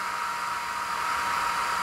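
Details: Mecpow X3 Pro 10 W laser engraver at first switch-on with no file loaded: a soft, steady laser head fan hiss holds even with no surging, with one small click near the end. Running normally.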